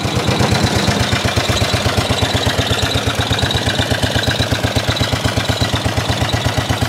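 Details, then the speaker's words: 1930s Dennis Z Type 30-inch lawn mower, revived after points and carburettor clean, warmed up after a run: rough single-cylinder chuffing at steady idle about three beats a second, shaking, rattling, backfiring; running normally for an old mower. "it shakes it rattled it backfires it does everything a good lawn mower should do"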